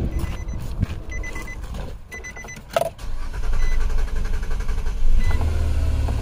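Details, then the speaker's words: 2008 Nissan Quest 3.5L after adding gas to the empty tank (gauge had wrongly shown fuel): cranking, then engine catches and settles into steady run; normal start. "we go look at that starts second car now I had I was out of gas and the gauge shows it has gas"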